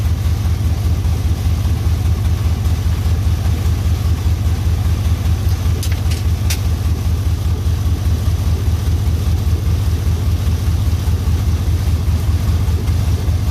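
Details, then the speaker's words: LS-swapped OBS Suburban, semi-warm restart: a deep, loud rumble with fast, even idle pulsing and no metallic knock. Not knocking; raw exhaust puffs through two flex pipes with no muffler fitted yet. "Oh yeah, so by the way, it's not knocking. I just got a flex pipe, 2 flex pipes. So I haven't made it to the muffler shop yet."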